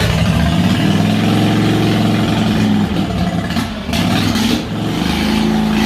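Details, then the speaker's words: Harbor Freight Predator 670cc V-twin mini boat motor revved: loud steady roar at high revs, briefly dipping and picking back up, no knocks or rattles; healthy. "remember how the audio cut out when i revved it up well since you watched to the end you get to hear it roar"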